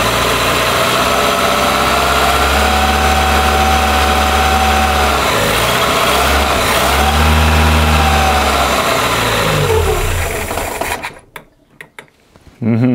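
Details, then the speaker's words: Carbureted engine restarted after a coolant bleed. Idle and throttle blips bring a thin singing whine rising with revs, attributed to a timing-belt roller, possibly an overtight belt. Intake suction is normal, and the breather is also blowing heavily. The cause is suspected, not confirmed. "par contre on entend comme un galet qui chantent au niveau de la courroie de distribution les bombes du possible qu'elle soit un peu trop tendue"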